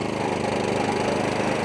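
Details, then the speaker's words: Atco Balmoral 20SK mower, Kawasaki FJ100 engine, after carburetor, fuel tap and fuel cap service following E10 fuel problems; steady, even note under blade load with smooth firing, no misses or surging; normal running. "But as you can see, that Kawasaki, straight up where it needs to be."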